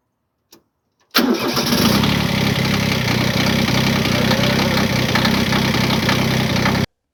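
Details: Kubota B7100 small diesel tractor cold start on frozen morning around 32°F with a new cheap group 51R battery, no trickle charger: catches at once and settles into an even, rapid idle clatter, a clean healthy start.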